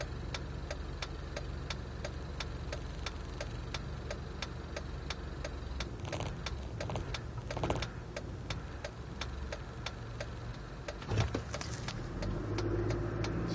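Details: Jeep at idle: sharp, regular ticks about one and a half per second over an uneven, lumpy beat; rough idle, cause unclear.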